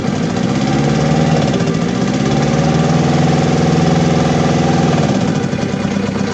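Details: Diesel engine with low power and black smoke, fuel system needs fixing: heavy idle with lumpy uneven beat of about three to four pulses a second and shaking drone; misfiring with vibration.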